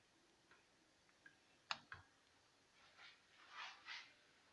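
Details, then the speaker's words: Italian stovetop moka pot on the fire: a quiet room with soft ticks, then short hissing, gurgling spurts as the water runs out, so the coffee is ready. "You can hear the noise that indicates that there is almost no water left. So it's ready."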